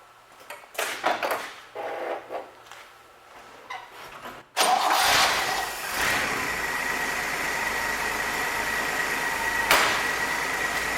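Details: 1966 Chevrolet C20, Chevy 292 six, fresh rebuild break-in: a few sputters, then a steady, fast, even run to seat rings; no knocks, ticks or new noises, oil pressure held. Normal break-in.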